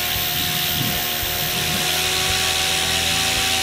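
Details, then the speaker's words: Goblin 500 RC helicopter, Castle Talon 90 ESC set to Heli fixed end-point mode: loud steady rotor hum and high motor whine rising in idle-up one then idle-up two; normal rotor speed increase. "and you can hear that it definitely went up now I'm going to go to idle up two and you can hear that it went up"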